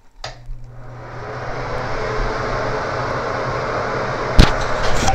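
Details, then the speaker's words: 15-year-old original builder-installed cheap 50-CFM bathroom exhaust fan (Broan/Nutone EC 50) switched on: loud, steady whoosh with low hum underneath, before upgrade-kit replacement. "this is the original fan that the builder put in this house 15 years ago it's a cheapo loud fan"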